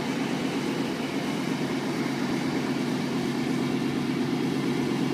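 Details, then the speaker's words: 1992/93 Chevy pickup, dual-fuel 350 V8, cold start after jump start on a flat battery, running on gasoline: steady, even low rumble with no knocks, misses or surges; normal idle. "We're gonna start it on gas. Crank it up. No problem."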